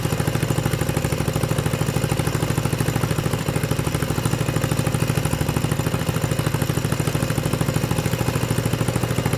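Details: 6.5hp generator engine converted for a go-kart with the Honda GX120 carb and exhaust and a clutch fitted: a steady, even single-cylinder putter at a fast idle, with no knock or miss. Normal idle.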